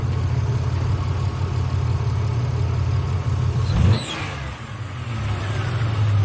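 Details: Engine idling then briefly revved: a deep, rough rumble with a loose puffing edge. A plugged catalytic converter is suspected of forcing exhaust out of a small crack in the exhaust manifold, but this is unconfirmed.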